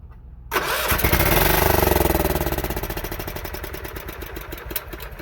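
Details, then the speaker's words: A John Deere 16 HP single-cylinder mower with 140 psi compression cranks hard in quick, even pulses without catching while fuel flow is checked. Water was found on the pre-filter and carb cleaner was sprayed into the loose carburetor. The owner suspects a faulty decompression mechanism. "A lot of compression on there. Maybe too much compression. Now, the odds that there's a decompression stroke on here that is not working."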